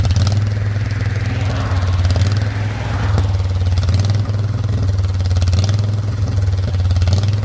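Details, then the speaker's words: Custom off-road lawn tractor mowing overgrown grass with an unsharpened blade, still lacking a proper carburetor: engine drone surging unevenly every second or two under load, hunting beat; runs rough. "clear a lot of grass for this thing and if it's not running right and I don't even have the blade sharpen"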